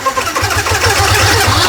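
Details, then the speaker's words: Yamaha R15 at 26,000 km: on start, rough metallic 'ceng ceng' chatter and grind continues over the idle after the starter button is released; failed starter one-way clutch. "Dia ada satu simptom yang mana bila kita start motor ni, starter dia akan still berjalan walaupun kita dah lepas starter ni."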